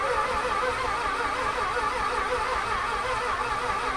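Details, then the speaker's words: 1991 Mazda Cosmo being revived: steady even cranking hum with a faint whine and no firing; fuel pump seems to run, owner suspects no spark, fuel delivery not yet checked. Cranks without starting. "Doesn't sound like there's any spark, but I don't really know what I'm talking about. So it sounds like there's a full pump, doesn't it?"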